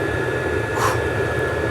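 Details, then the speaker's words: 5 kW stationary diesel heater set to 5.5 (maximum), hotter than owner's 2 kW unit in a Jumpy: steady even blower roar, constant high fan whine, no surging or sputter; healthy at full output. "Donc c'est sûr, comparé à mon aux 2 kW que j'ai dans le jumpy euh là, on sent que ça ça chauffe dur, ça turbine"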